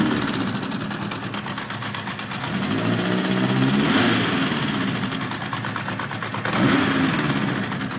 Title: Honda cb900 Bol d'or bruit moteur